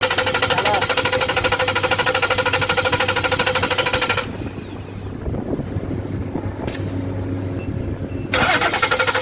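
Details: Petrol Ford engine idling with an uneven, stumbling beat from a cylinder 1 misfire; faulty injector blamed.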